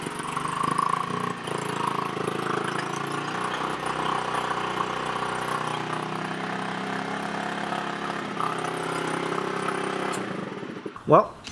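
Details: VIP 50cc Future Champion Chinese two-stroke scooter after full reassembly: steady even idle for several seconds with no misfire or rattle, then shut off; running fine.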